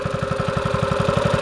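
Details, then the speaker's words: Mini bike after swap to 6.5 Predator engine with a cam, hot after riding, chain very tight: deep single-cylinder throaty thump about eleven beats a second, fairly even; healthy cammed idle. "Pretty hot. She got a cam in her. You hear me? You hear me? She got a cam in her."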